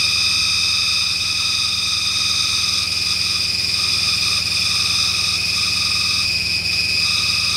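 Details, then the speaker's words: 1996 Mustang GT after long storage, just started and running on gasoline with smoke from the exhaust: a steady, high-pitched multi-tone drive-belt squeal over the idle that quiets as the engine smooths out. "I see the the belt noise let me get off this the belt noise is quieted down now it's starting to smooth out a little bit"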